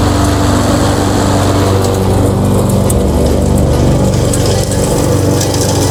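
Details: Mastercraft lawnmower after a replacement engine swap, restarted while still warm, runs with a loud, steady low drone, even firing, no misses or knocks; normal running.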